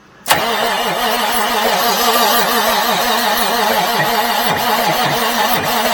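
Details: 1989 Marmon truck diesel, fuel solenoid manually opened: starter drags the engine over slowly in a labored, even rhythm of about three compressions a second, never firing; the starter gets hot. Slow crank, no start.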